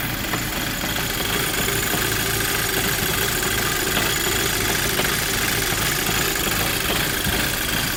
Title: Rough idle when cold gti mk5 part 2